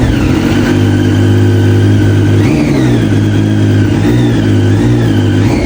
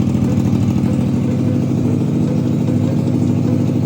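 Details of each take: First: Abandoned Triumph Street Triple after injectors cleaned with throttle body cleaner: revs climb and drop cleanly on each blip over a steady idle, no misfire or stumble; now running properly. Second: Abandoned Triumph Street Triple being revived, first start after draining coolant and oil, a new oil-filled filter and a custom fuel-pump clamp: lumpy, stumbling idle, and the owner suspects only two cylinders are firing. The injectors were then removed and cleaned. Engine misfire.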